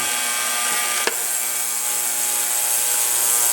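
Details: Ultrasonic cleaner running with heat on, cleaning a varnished Chinese ATV carburetor that wasn't passing fuel; steady high hiss and fizz with faint irregular ticking, no low rumble; cleaner operating normally.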